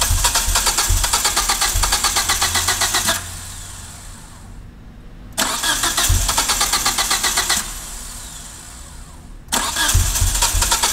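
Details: 1G DSM with rebuilt top end, running rich with idle surge and a failed TCU: starter churns about four turns a second in long bursts, three tries without catching cleanly. Hard starting, owner seeking fuel-air ratio help; cause unconfirmed.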